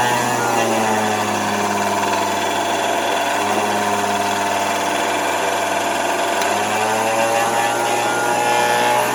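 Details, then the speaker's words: Vacuum cleaner with rheostat low/medium/high speed control, motor warming: steady whine with wavering uneven pitch and faint rumble; runs rough, likely age wear, not confirmed. "Motor doesn't sound very good, but I imagine it sounded somewhat better when it was brand new, so I won't hold that against it."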